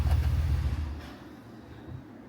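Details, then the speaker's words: Truck engine after idler pulley replacement, which had caused a turbo-like whine. Short deep rev falling back to low idle, with no whine over engine and exhaust. Normal revving. "That piece that I showed you that I changed, that sound is gone. Thankfully, I got the right piece. And now I don't hear any more whining. It's just straight menacing engine and exhaust."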